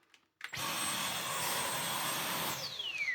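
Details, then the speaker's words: Dyson V12 Detect Slim Absolute cordless vacuum after cleaning: high whine steady about two seconds then pitch slides down as motor cuts out; no longer pulsing but still not staying running, owner suspects restriction when bin fitted. "I I'm still not fully believing it's going to be this simple, but yeah, it's not pulsing anymore, but it's still not bloody lasting."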